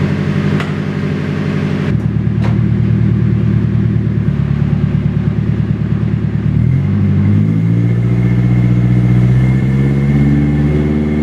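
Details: Nissan 240SX, first start in 2 years after rebuilding onto a different chassis, with a temporary heater hose fitted: the engine runs with a steady, quick, even beat and picks up cleanly on a throttle blip. Loud and raspy but healthy.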